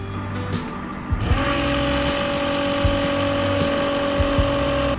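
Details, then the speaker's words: RV macerator pump running on gray water from tank: steady mid-pitched motor whine kicks in and holds level; running normally. "right, it's running fine on this end."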